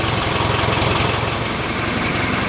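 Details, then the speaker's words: Nuhvi after cylinder head cover re-tightening and valve adjustment, engine still warm: even rhythmic low chug at idle, no valve ticking or knocking; oil pressure 40 at idle, 670 when revved; normal warm idle. "The engine is still warm and the oil pressure is 40pa. It immediately rises to 670 when revving."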